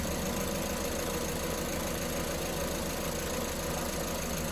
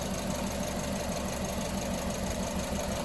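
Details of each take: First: Car engine with the number 1 injector connector reconnected after a lean-cylinder ignition waveform test idles with a smooth, even low hum and no skips, misses or knock: normal idle. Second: Engine idling with the number 1 injector connector pulled to create a lean misfire: lumpy, uneven beat that regularly drops a pulse, heard while the secondary ignition spark line curves upward.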